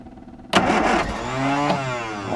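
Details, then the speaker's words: Classic Mini spare engine that would not start, with a seized clutch arm and plunger: after wiring and fuel fixes, the starter cranks and the engine fires. It revs unevenly on throttle for about two seconds, then stumbles and dies. "Try try and make it run with the throttle. Oh, doesn't sound good."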